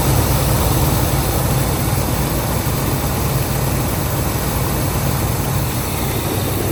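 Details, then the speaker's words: 1978 Pontiac Grand Prix, Pontiac 301 V8, long parked yard find, first start: a deep, even V8 idle rumble with no misses, knocks or hunting. It runs quiet and smooth. "Okay, she runs. Well, the old Pontiac does run and runs pretty smooth."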